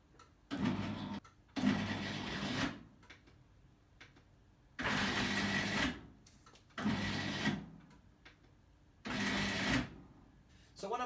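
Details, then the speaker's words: Roller garage door electric motor, about 10 years old, on the upward stroke: short strained motor hums starting and cutting out every two seconds, drive labouring but door not moving; motor suspected binding, not confirmed. "this button on the upward stroke it's going you can hear the motor groaning but the door isn't moving"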